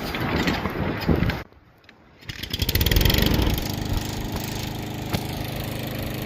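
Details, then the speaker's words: Lawnmower fixed after 8 months of no use, heard from a distance: after a brief pause the small engine catches and settles into a quick, steady putter; running good. "It's running good, guys. You hear that thing?"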